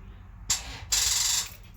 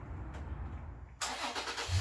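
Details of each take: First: Toyota FJ Cruiser with the battery at 11.2 volts: key turned gives sharp metallic clicking in two short bursts with no cranking, a dead battery. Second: Toyota FJ Cruiser after a new battery reading 12.54 V replaced the old one that cranked slowly: a brief quick crank, then it catches at once and settles to a steady idle. Normal start.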